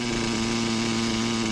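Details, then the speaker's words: Hobao Pirate nitro RC engine during tuning: a high-pitched buzzing idle whose revs waver as if about to cut. The low-end needle is set too lean, with not enough fuel, so it gets wound back. Finding: lean stumble, engine about to cut. "You hear that slight change? It's going to try and cut. Look, because there's not enough fuel. So, we're just going to wind that back a little bit. That's the sign of too lean."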